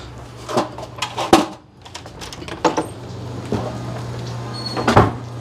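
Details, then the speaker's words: Reverse osmosis/deionization water system booster pump just powered up, boosting to about 90–95 psi: steady, even low hum with a few handling knocks nearby; pump running normally. "all right let's go see what's going on i hear the pump running"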